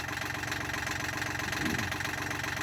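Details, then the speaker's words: 33-year-old Yanmar marine diesel in a sailboat, first run after a full rebuild including new connecting rods and reinstallation: steady, even idle with a smooth low rumble and no knocks or misses; the owner is nervous, but it sounds fine. "it sounds fine like I think I don't know I mean that's as far as I know it"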